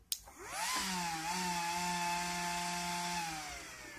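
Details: Delta DPS-980CB A (76 A) ex-IBM server PSU modified and adjusted to 13.2 V after protecting at 13.8 V: a click, then the fan whirs up to a steady, even hum and winds down; normal fan run.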